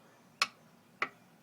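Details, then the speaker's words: 2000 Sea-Doo GTX Millennium Edition personal watercraft, 108 hours, left sitting in the water all winter, new charged battery: pressing start gives two sharp clicks, nothing turns over; owner suspects the starter. "this is what it does when I try to start it. Just a clicking sound. Nothing's moving."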